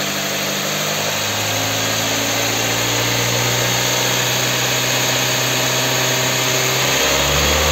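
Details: Kia K5 after rod bearing replacement from below without engine teardown: smooth, even tone rising steadily as revved gently to about 4000 rpm, no knocks or clatter under the hiss; healthy engine.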